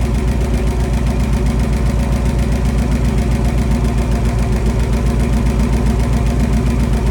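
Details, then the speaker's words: 1966 Dodge Coronet wagon Poly 318 V8, points ignition, run on the ground briefly with no coolant: strong even idle with a light regular tick about two and a half per second, suspected lifter tick on one side. "got a little bit of a lifter tick on the other side it sounds like"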